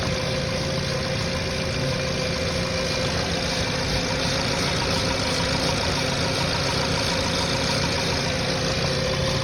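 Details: VW Jetta with a single coil pack and ignition wires, engine hot: the idle stays smooth and even with no stumbles, so the ignition is firing cleanly.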